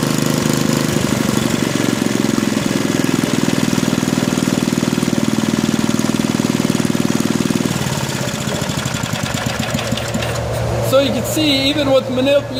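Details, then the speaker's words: Small engine during a mechanical governor adjustment lab, after governor slack was removed: running at top no-load speed, dipping briefly when the throttle is released, then settling stably without hunting. The governor controls engine speed again. "the throttle once i let go of it the governor is able to restore a stable top no load speed so the governor once again has control over the engine"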